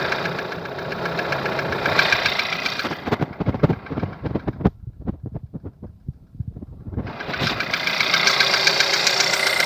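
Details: 1.4 TSI, over 170,000 km, timing chain recently changed, no oil consumption: steady idle with sharp, evenly spaced knocks about two or three a second standing out over the running engine; engine knocking at idle.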